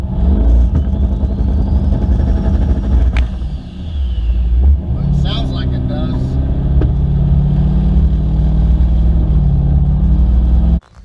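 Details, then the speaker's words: 1996 Camaro with 5.3 V8 swap, GT45 turbo and BTR Stage 2 cam, on a tune-and-test drive: the engine pulls deep and steady under load with rising revs and no misses, maxing about 4 psi boost (115–120 kPa). Normal acceleration. "right so we only hit about four pounds of boost and uh see there it maxed out at four pounds of boost"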